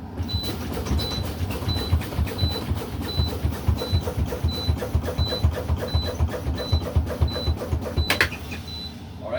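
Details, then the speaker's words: Truck air brake spring brake pop-out test (CDL, combination vehicle), after low-air warning activated at 75 PSI: rhythmic air bursts about four a second as brakes are pumped, low-air buzzer beeping; both spring brakes pop out at 40 PSI, above the 20 PSI minimum; normal. "They both popped out at 40 PSI. This is a good test because they both popped out no lower than 20 PSI."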